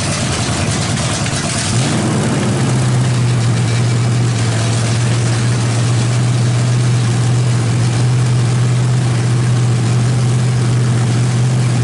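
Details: Freshly built 350 V8 with Thumper cam, open headers, first start after priming, revved hard: loud lumpy idle settling into steady low drone, even firing, no knocks; sounds great, timing may need slight adjustment.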